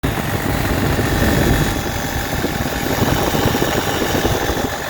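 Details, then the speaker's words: 12-valve Cummins diesel idling before an XDP alternator replacement: a faint steady whine over the diesel clatter from the old alternator's failed bearing. "Alright, from the opening clip there, you guys seen, the bearing in that alternator, well, it's gone. It's done. It's not going to work for us anymore."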